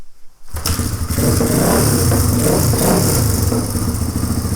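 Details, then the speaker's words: 1997 Suzuki DR350 dirt bike after a new flywheel key was fitted to cure backfiring and erratic idle: single fires at a fast idle that hunts up and down and won't settle; owner suspects an electrical problem. "right now it's running so good I need a kill switch to turn it off the idle's not steady"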